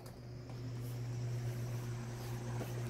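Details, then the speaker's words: Lasko 1820 18-inch pedestal fan (2006), repaired after locked bearings, oscillating; low steady motor hum, no clicking or grinding from the gearbox, gearbox functions properly, very quiet fan: normal running. "because the newer ones they don't seem to put the right amount of wiring necessary for each speed but yeah this one's a very quiet"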